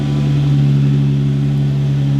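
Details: 2015 Jeep Wrangler JK after plug-and-play remote start installation, remote started: engine catches and settles into smooth, even idle with steady low hum, no misses or knocks, running normally.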